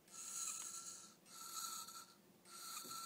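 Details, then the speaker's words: Hitachi Deskstar 7K250 hard drive powered up before opening: high whirring rises and sags in three swells, straining and failing to spin up, something dragging over the platter surface; likely head crash, drive feels unbalanced. "As you can hear, it has some problems spinning up. Let's give it a little shake and see if that helps. You can hear something seems to be dragging over the surface and this could well be a typical hard drive head crash."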